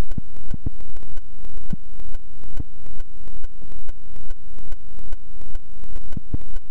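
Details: GoPro camera recording a one-off weird noise in a single clip: a harsh electronic buzz pulsing about twice a second with a rising sweep in each pulse; a recording glitch of unknown cause.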